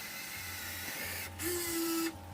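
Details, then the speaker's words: RC car winch on a third-channel winch controller, winching in under load: short strained motor tone rising then holding about a second; motors growl because only low voltage reaches them. "but that's purely because there's only a small amount of voltage going to that"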